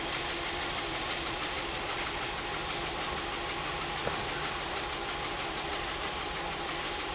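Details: 2014 VW Jetta 1.8L TSI (CPR), restarted at idle with P0304: hissy, uneven note with faint irregular ticks from a cylinder 4 misfire; trims still read rich, cause undetermined, plug and compression checks next.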